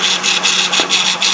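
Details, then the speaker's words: Honda Odyssey engine running with a steady, hissy whine over a low hum: power steering pump whining from air after the return hose was removed from the reservoir, system bleeding. "so basically you could probably hear how the power steering was whining it's because I removed the return hose out of the reservoir"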